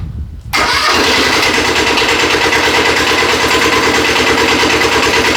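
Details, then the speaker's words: Custom Cub Cadet 72 tractor fitted with a Kubota diesel, cold start after a minute of glow plug: cranks briefly, catches within a second and settles into an even, steady idle clatter while warming up; healthy start. "Let the glow plug run for a minute. Turn it over. Let it start. We'll let it warm up for a little bit before we try moving it."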